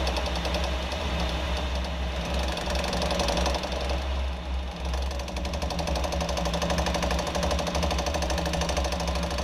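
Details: 2014 Jeep Wrangler JK with uneven knocking, about two or three a second, over a low running drone. Source not yet found; the rear driveshaft is suspected.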